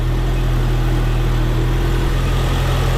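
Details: Ford Courier with newly fitted GM one-wire alternator, after suspected PCV vacuum leak, reading 14.58 V: steady even low idle hum, no ticks, knocks or belt noise; engine and charging normal.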